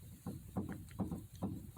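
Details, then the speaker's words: '59 Edsel during power steering upgrade, wheel rocked by hand: dull low clunks roughly every third of a second, play in the steering from completely worn tie rods; replacements already ordered. "but these tie rods are completely wore out so you know as you can see i mean i can do this if you can hear that"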